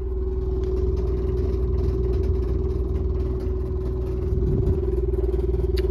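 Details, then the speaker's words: Noisy building exhaust fan when switched on: steady hum with a rough, fast scraping about four times a second. The blower wheel is rubbing the housing; it sounded like something caught in the wheel, and the wheel appears bent and wobbling. "almost sounds like there's there's something caught in the wheel"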